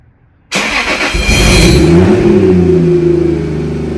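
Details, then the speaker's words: Toyota Supra 2JZ, about 520 whp, tuned in warmer Florida weather and different ethanol content; cold start in chilly weather, cranks and fires then uneven wavering idle, rough cold start. "It's a little rough on cold start because it's it's getting a little chilly here."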